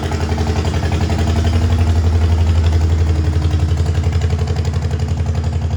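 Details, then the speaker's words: Old Farmall H gasoline tractor, freshly revived with new oil, oil in the oil-bath air cleaner, battery and gas, has a slow, lumpy idle with an uneven chuff and loping beat. It shows some blowby, a plug seems to be holding, and a misfire and power loss are suspected. "Well, she's got some blowby. Looks like her little plug is holding. I can't tell for sure. I don't think it's running on all the cylinders right now. It sounds like it's down on power."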